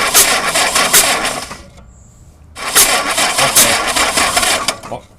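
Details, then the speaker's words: Engine cranked with number one spark plug removed and finger over the hole to find number one on the distributor; even compression puffs mark cylinder one on compression with the rotor pointing about 11 o'clock, after a rebuild where the oil pump gear was misaligned. "As you can see, if you could hear it, when you heard that noise there with the compression when my finger was over the hole, the rotor was pointing up about 11 o'clock."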